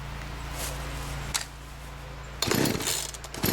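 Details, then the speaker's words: Free used chainsaw, newly fitted with universal fuel lines, no air filter, fresh fuel, choke on. A brief sputter dies, then pull-starter strokes bring no firing; it won't start, cause unknown. "nope doesn't want to start so now we got to figure out what's going on"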